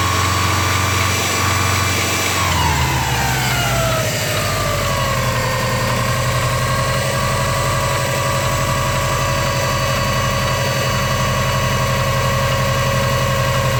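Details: Unidentified engine noise at idle: revs fall from a fast idle to a steady idle with a constant whine and faint uneven ticking; source unclear.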